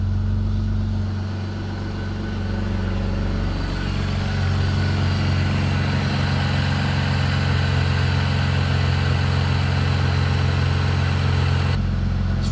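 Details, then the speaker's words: BMW E46 330i, first start after overhaul with new intake manifold, CCV assembly and engine mounts: uneven, lumpy idle with a low pulsing beat, like a misfire. Rough idle; cause not confirmed. "so it still doesn't sound great [Music] oh my God that sounds [Music] awful"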